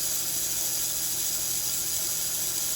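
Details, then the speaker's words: Power antenna motor from a 1964-65 Thunderbird / 1961-64 Cadillac, bench-run during disassembly and repair: steady high-pitched whir with light gear ratchet, sounding the same in both directions; motor works well, normal running. "It sounds the sound is the same both ways."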